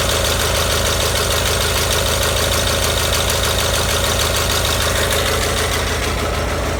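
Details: Gravely 817 with Onan CCKA twin-cylinder after starter repair: steady, even idle with no knocking or grinding; starter gear stays retracted clear of the flywheel, engine running healthy.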